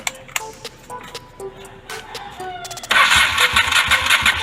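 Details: Honda Steed 400 after a single-carb conversion, cranked while CDI voltage is measured: starter churns with uneven chuffing pulses for a couple of seconds but never catches; owner suspects the CDI, cause unconfirmed.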